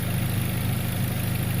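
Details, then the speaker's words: Chevrolet HHR idling after sitting long with the battery disconnected, check engine light still on: a steady, low, even hum with no knocks or ticks, a smooth healthy idle. "Sounds good. This engine really sounds good. Just humming away."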